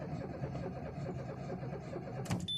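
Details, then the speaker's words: Citroen C2 with the ignition on: steady starter cranking, but the engine never catches; cranks but won't start, and the battery is nearly flat; cause not yet found. "it cranks and not start it cranks and not start switching it off let me see switching it on again it can it cranks and does not start and the battery is almost gone now"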